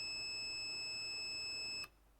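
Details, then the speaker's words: Digimark subwoofer powering on with no sound, TDA7379 class AB amplifier IC: multimeter continuity tone for nearly two seconds across the output capacitor, reading shorted; indicates faulty sound IC, to be replaced. "are you see this capacitor on the output is reading a short why because of one good reason we have a fult sound I see that's a good indication of a for sound I see"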